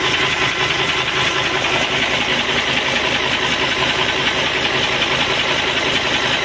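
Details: Isuzu (Global/Areon) diesel that cranked but wouldn't start and smoked heavily, after injection pump removal, calibration and overhaul: even diesel clatter at steady idle, no stumbles or hunting; normal idle.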